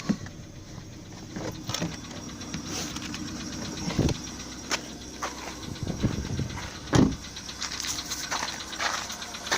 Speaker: Давайте послушаем стуки в двигателе. Volkswagen Polo седан. Вот, сразу слышен характерный стук.